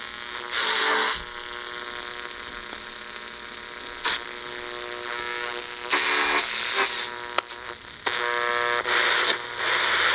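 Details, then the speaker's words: AM radio near a CFL bulb, noisiest bulb tested, worse than LEDs: steady buzzy hiss with ladder of evenly spaced tones swelling and fading as dial moves; minor when tuned to station; CFL switch-mode RF interference. "well the CFL is the noisiest bulb of them allall so LEDs are better in that regard but still when you turn tune into a station it's not a big issue at all"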